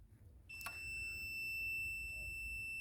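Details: Kaabo Wolf Warrior GT electric scooter showing error 30, multimeter continuity test on connector pins: single steady high beep on contact with the pink wire, continuity between pins that should not be connected.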